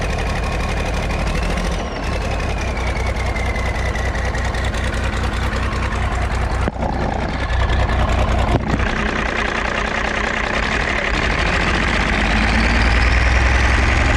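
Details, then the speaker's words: 8.3 Cummins diesel in a road grader, first start after rebuild, revved to purge air: loud idle with deep regular knock under the clatter, rising with revs; owner suspects possible lower-end knock; oil pressure rose with revs. "Seemed like it had a lower end knock a little bit, maybe. I don't know. I couldn't tell."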